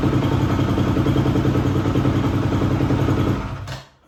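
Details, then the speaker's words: 2004 250R single-cylinder dirt bike, bought non-running, now started: steady thumping at fast idle then clean shutoff, motor healthy; separate clanking noise noted, not from the motor, source unknown. "Well, as you guys seen, I got the bike running and I mean, sounds pretty good."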